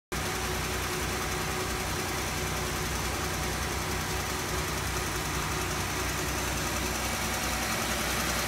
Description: Ticking frequency increases as the engine rev up, car runs normal, all fluids levels ok, oil 5w30 and OEM oil filter used as per manual.